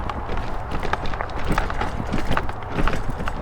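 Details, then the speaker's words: Rad Power RadRover e-bike (about 85 lb) on narrow rough mountain bike trails: irregular rapid clattering and slapping over tyre rumble, chain smacking the derailleur; rider suspects a loose chain, unconfirmed. "hear that chain derailleur smacking all over the place? It's loud. Maybe my chain is loose."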